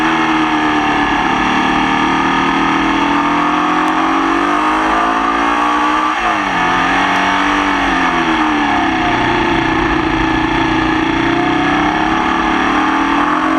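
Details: Formula Vee racing in the wet at Croft: engine drone rising and falling through the gears with a ragged, uneven beat under load. Misfire throughout the race; cause unknown.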